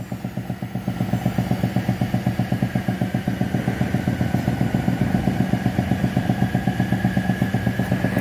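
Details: 2017 Renault Sandero three-cylinder at idle. A light metallic clatter about four times a second over the steady idle, not from the engine; someone left a loose bolt sitting on the air filter box.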